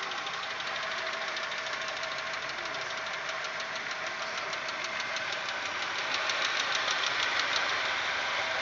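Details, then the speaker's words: Audi 1.8, 90 hp, after cylinder head repair, idling as it warms: fast, light, even ticking that is absent when cold, builds with heat and fades at intervals of about 2.5–3 minutes. Hydraulic lifters are suspected but swapping them changed nothing; running on Lukoil 15W-40. "потом начинает тарахтеть заведем сначала было слышно как стучал один гидрокомпенсатор"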